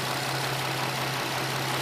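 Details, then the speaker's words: 2006 Nissan 350Z VQ V6 idling smoothly with a steady hum over a hiss, after a vacuum leak in the upper intake plenum that caused P0300/P0302 codes was sealed with plastic wrap; it also has new plugs and a new cylinder 2 coil. "As you can tell right now, the car is idling fine. Idling like it's brand new."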